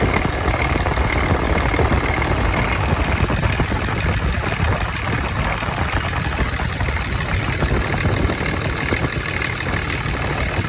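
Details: 2005 Dodge third-gen 5.9 Cummins turbo diesel, cold engine, rough idle complaint: loud uneven lumpy clatter at idle; Windex sprayed on exhaust manifold showed cylinder 6 not heating, injector and compression check planned.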